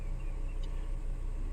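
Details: 2012 VW Passat after electronic throttle body replacement for code P0122, EPC light and limp mode, codes cleared: low, steady idle rumble with no surging, hunting or stumbling; smooth, healthy idle.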